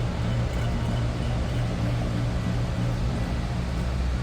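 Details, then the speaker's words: 1947 Lincoln Continental club coupe V12 at idle: low, steady, even hum with no knocks or misses; very quiet, smooth, healthy idle. "I don't know if you'll really be able to hear this. It's, like I said, very quiet. Yes, that is running."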